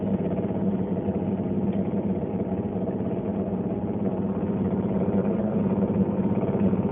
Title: LG Dishwasher making noise